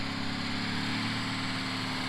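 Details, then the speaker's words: International CO9670 cabover truck, 350 Big Cam diesel, with new injectors and new injection pump: steady even diesel drone with smooth fine firing pulses, no knocks or misses, runs "like a sewing machine"; normal running. "man it's like a sewing machine that truck's come a long way with these new injectors now that new injection pump"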